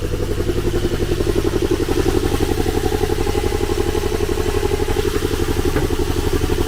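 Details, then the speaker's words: Dirty manual-transmission non-twin-turbo 2+2 Z car that was reluctant to start: lumpy idle with a steady stumble about four times a second and uneven chuff. Not running on all cylinders, with an oil smell from the exhaust; rings suspected gone. "it's a stick shift it's very dirty and oh yeah it ain't running on all cylinders"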